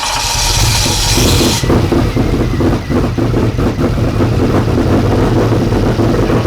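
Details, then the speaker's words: 1992 Ford F150 prerunner, first start after a five-year build: uneven, stumbling idle with irregular low pulses, choking as if rich; rough running, owners suspect fuel system issues with the regulator and fuel rails. "there's a few little hiccups that we have to deal with within the fuel system with the regulator and the fuel rails"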